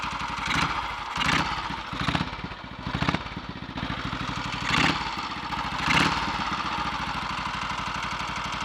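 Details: Redditch Royal Enfield 350 Bullet single on first start after full rebuild (worn big end fixed), idle set just above slow: even beat with light quick tapping; ignition slightly over-advanced, strobe retiming quietened it.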